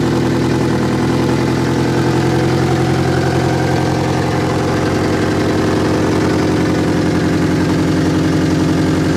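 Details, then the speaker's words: Turbo Honda Civic with a D16 engine idling slightly unevenly, with a steady hiss after a 3-bar MAP sensor swap; the air leak persists, and it was later traced to a slightly broken throttle body gasket that was replaced. "let's turn it on and see if it still runs a crap ni it's still leaking bro"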